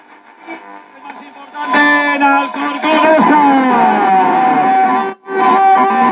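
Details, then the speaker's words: 1960 Telefunken Capricho U2025 FM tube radio after repair, which had a bad 35W4 rectifier and weak tubes: stations sweep in clearly with music and a gliding tuning whistle, strong steady volume; receiving properly. "No, ahora ya está la radio normal, o sea, la radio como tiene que funcionar. Y mira cómo va sintonizando."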